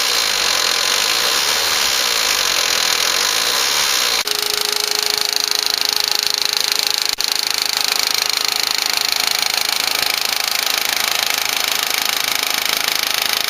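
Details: 2004 Volkswagen Passat 1.8T GLS engine with a fast, even light tick about three a second over a hissy running engine, from the rear of the engine; comes and goes, worse at startup; owner suspects a lifter, unconfirmed.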